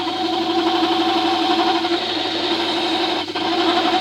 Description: More hand turning of tool steel on the woodwork lathe on its slowest speed of three, showing how eash it is to turn metal by hand with the correct profile custom made cutting tool.